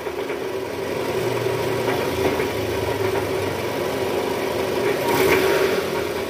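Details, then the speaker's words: Toyota Estima 2AZ-FE engine just after start, AC on, in gear and revved: rough idle with an uneven tak-tak tapping knock about three times a second from the oil pan area; worn balancer shaft, later replaced. "Suaranya kasar, ada bunyi tak tak tak tak tak tak tak tak."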